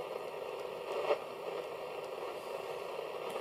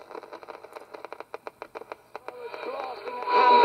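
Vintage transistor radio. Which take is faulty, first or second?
first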